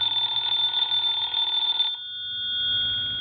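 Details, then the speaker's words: Vintage Siemens Milano telephone with the hook switch held down during repair: bright, continuous mechanical bell ringing for about two seconds, cutting off cleanly. The antique ringer now sounds proper. "now what we can do is we can hold the switch down the hook switch and let's ring the phone now now that sounds a little more like an antique phone"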